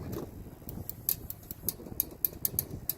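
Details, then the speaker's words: Toy hauler RV refrigerator relay clicking on with 12–13 V DC signal from the control module: sharp light repeated clicks over low rumble, relay pulling in normally; no click with 12 V present means a bad relay. "this relay turning on so if you have 12 volts going to it and you don't hear it click that relays bad"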